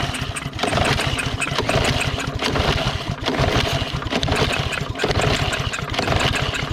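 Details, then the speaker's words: Lawn mower with water found in the tank, drained and refilled with fresh gas. It gives repeated surging bursts that fade and never settle, so it is hard starting; water in the gas is suspected. "so we are going to try it again I bet you it won't start because of the because of the water in the gas all right go ahead it's going to take us several times to get it to"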